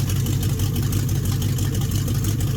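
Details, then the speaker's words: 1969 Chrysler 300 with donated test-mule 440 V8, first start with no exhaust hooked up: loud, deep, even idle rumble with a steady lumpy pulse and no knocks or misses; healthy open-exhaust idle. "Can we just appreciate the sound this thing kind of has to it? Even though it sounds like it's demo derby ready."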